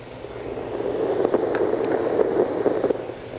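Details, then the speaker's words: TS-820 transceiver on test drifts off frequency and breaks into an odd oscillating noise, a wavering mid-pitched warble over steady hiss, swelling then fading; intermittent fault, capacitors suspected but not confirmed. "Sí, se corrió de frecuencia aquí y metió ese ruido raro. Hay que revisar los capacitores, a lo mejor eso es lo que está fallando."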